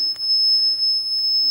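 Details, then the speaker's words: Shadow Detector, blue light not working properly, test two with a green laser on the wall beside the detector: on switch-on it gives a continuous high piercing beep that never breaks, alarming at once and ignoring the light; constant beeping. "so i turn it on and it beeps notice the blue light"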